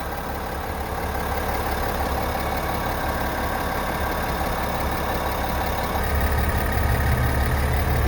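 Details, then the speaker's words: New 2021 GMC Sierra AT4 3.0L inline-6 Duramax diesel, recorded before its first oil change to AMSOIL 0W-20: smooth, even low idle with a steady soft clatter and no knocks or misses, a healthy engine at rest. "before we do anything to this little angel we're gonna go ahead and give you what she sounds like before so this is what this cute little theramax sounds like before"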